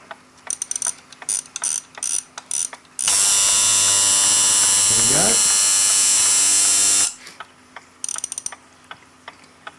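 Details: Copal RP-160 flip clock, just serviced and reassembled, is powered up with the front case off for an alarm test. A loud, steady high buzz runs about four seconds between light mechanism clicks; the alarm buzzer works strongly and evenly.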